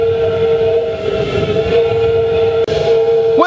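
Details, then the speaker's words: Homemade waste-oil drum shed heater with an upside-down chimney, running hard and putting out lots of heat: a loud, steady hooting roar with a throbbing pulse, likened to a beached whale or dying walrus. This is pulsing combustion. "this thing sounds like a a combination between a beach whale and a dying walrus so let's have a look inside and see what's going on in there now it's like a fire breathing dragon after he's run up a hill"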